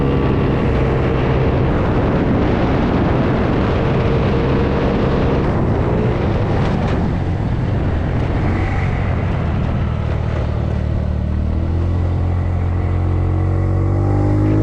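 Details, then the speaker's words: 50cc GY6 scooter ridden with only 3 variator weights: engine drones high and hard under wind rush, revving higher late in the run, past 8,000 rpm, with less top speed; over-revving from too few variator weights. "i'm not sure if wrapping this thing past eight grand is good i'm sure it can do it just fine but uh in our case we only have one of these scooters so blowing it up really isn't a smart choice"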